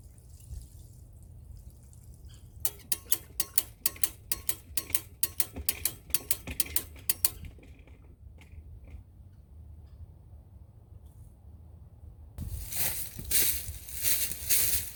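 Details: Well pump on a 30/50 pressure switch surging on a cold December day, rapid clicks about four a second then a rushing surge as it cycles on and off at about 40 PSI; owner suspects freezing and plans to replace the pressure switch.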